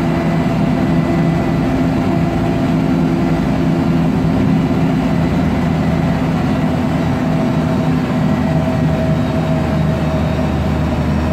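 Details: MAN Lion's Classic CNG city bus (MAN E2876 LUH03 EEV turbo engine, Voith DIWA 864.3 4-speed automatic) accelerating: heavy drone with steady gearbox tones and a faint whine; noisy Voith transmission plus slight differential whine.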